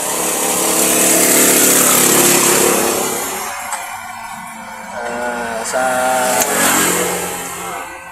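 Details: Yamaha YTX motorcycle that dies while running sputters unevenly at about four beats a second, fading and catching as if starving for spark; high tension wire being checked, cause suspected, not confirmed.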